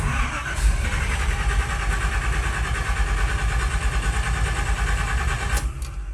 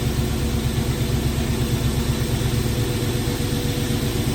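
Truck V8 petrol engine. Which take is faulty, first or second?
first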